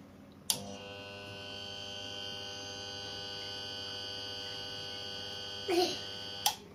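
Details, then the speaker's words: Arçelik refrigerator not cooling, fan runs but compressor doesn't, click every 5–10 minutes: sharp click, about five seconds of strained hum, click and silence; compressor motor failing to start, almost certainly faulty. "bu sesi duyuyorsanız tüm marka model dolaplarda bu sesi duyuyorsanız 99.9 motorunuz arızalıdır"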